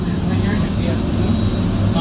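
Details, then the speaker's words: Theatre pipe organ blower running on a VFD: heavy steady blower roar with a thin constant high whine on top, probably frequencies from the drive through the motor; cause not confirmed. "It's probably just area frequencies through the motor. Really?"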